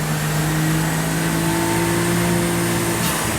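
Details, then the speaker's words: 660cc AWD kei car (Daihatsu Mira) on dyno, custom trigger and map, about 10 lb boost, power run: revs climb to a flat, steady CVT-like drone instead of pulling; clutch slipping, power about stock. "There you go. We made the same power as stock. No, actually it's a tiny bit up with a slipping clutch."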